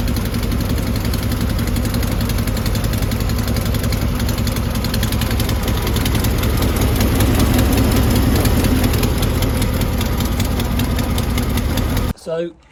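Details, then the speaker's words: 1970s VW bay window campervan flat-four, first start in over 30 years after being seized, hot-wired from the battery to the starter: steady even low beat with no knocks or misses; engine runs smoothly. "We've got fuel. We've got spark. We've got a starter. Just like that, she works."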